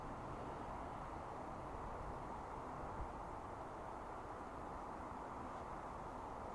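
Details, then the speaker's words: Silvel 8KW 12V diesel air heater on its first start: a steady, even airy whoosh with no knocks or rattles. Only the fan is blowing while the fuel line primes, before combustion; clicking begins at about two minutes with 104 W draw. Normal. "so I just need to wait for it to primer out and start up so the pipe actually might be trying to fill up now so it is showing that the wind is blowing so it might just take a few minutes to get the fuel going"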